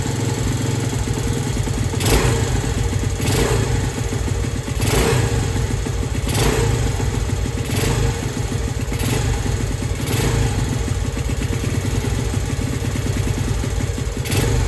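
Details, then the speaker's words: Skyteam Skymax ST125 with swapped-in semi-auto Lifan engine on temporary pit-bike wiring kit, exhaust fitted: small single settles into a steady putter with brief blips every second or so; runs evenly, normal running. "Got the exhaust on now. Fuel's been on for a few minutes. The float bowl should be full. So no reason why it shouldn't fire up."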